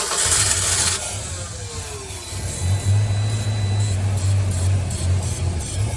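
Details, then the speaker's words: 1989 Ford Ranger on a jump box and homemade starter switch after a torn spark plug wire was rebuilt: engine catches and settles into a steady low idle with no ticking or knocking; normal start and idle. "all right wow she sounds really good no ticking no nothing"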